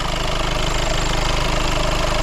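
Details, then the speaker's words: 2015 VW Golf Mk7 TDI diesel running on WD-40 through a makeshift external fuel pump setup: steady, even low diesel clatter with a smooth idle and no misses; it runs pretty good on this fuel. "so with this contraption and a fuel pump running it actually runs pretty good"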